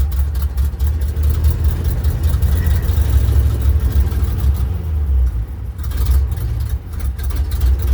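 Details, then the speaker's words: 1967 Ford F-600 dump truck, believed 330 medium-duty industrial engine with electric fuel pump: deep steady low idle rumble, even, no knocks or ticks; normal idle. "now if y'all want to hear the old girl run you probably do I'll crank her up real quick for you so you can see what she sounds like I think this has got the 330 medium duty industrial engine in it"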